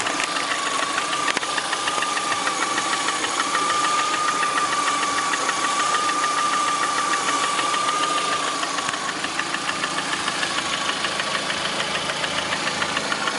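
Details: Lada Priora with 21126 engine at steady idle: light, regular tapping about three times a second over the engine; knock at idle of unknown origin.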